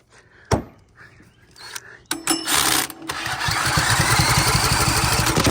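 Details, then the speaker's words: Generator that would not fire, now starting after a hidden unplugged connector was found and reconnected. A few clicks, then it catches after about two seconds and settles into a steady, even running beat; starts normally. "so I plugged that back up and plugged everything else back up and now I get fire"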